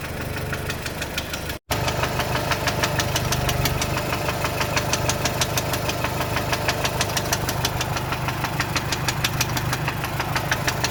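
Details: VW Golf 4 1.4 16v petrol at idle: sharp, steady knock about three times a second from worn connecting rod bearings, before replacing the bearings.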